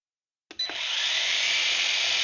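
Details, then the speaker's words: HolyStone HS110D drone after fixing a motor that would not spin: after a click all four motors spin up to a steady high-pitched whine; the repaired motor seems to slow a little; flight test still pending; motors running. "all right and they're all spinning that one does seem to slow down a little bit"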